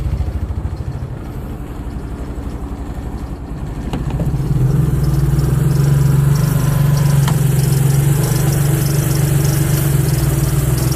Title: Audi B5 S4 cold start misfire